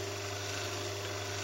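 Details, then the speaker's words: Domestic stone grain mill running, stones tightened until a light rub is heard: steady low motor hum under even soft scraping hiss, indicating gap correctly set; normal. "on revient en arrière assez largement, on met en marche, et puis on resserre jusqu'à ce qu'on entende le petit bruit de frottement."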